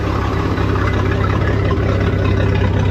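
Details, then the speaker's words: 1999 Bayliner Capri with a MerCruiser 4.3 L engine after the bad starter relay solenoid was replaced to fix a no-crank: it fired right up and runs on a hose at an even, steady low idle with regular firing and no stumbling. "Alright, she fired right up, so it's definitely what it was."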